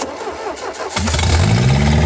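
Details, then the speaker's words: Mercruiser 3.0 engine, freed after being stuck, with its carburetor rebuilt from a kit: after a brief crank it catches and settles into a low, slightly uneven idle. A remaining carb issue is suspected, not confirmed. "Still has a little bit of a carb issue, it seems. But hey, it's running."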